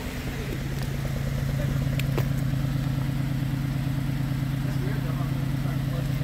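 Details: 2006 Pontiac Grand Prix base idling after top swap with new exhaust valve seals while bleeding cooling system; even, steady idle, smooth low beat, no misses, knocks or ticking – healthy, heater hot, no black smoke.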